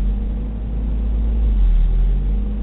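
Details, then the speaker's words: 1991 Toyota 22RE, warm engine idling with foot on brake: low petrol idle rumble swells and eases slowly instead of holding steady, about 22–23 cycles before leveling out; idle hunting, later traced by owner to idle air control valve. "after a certain temperature it starts to do this up and down motion I'm just holding my foot on the brake right"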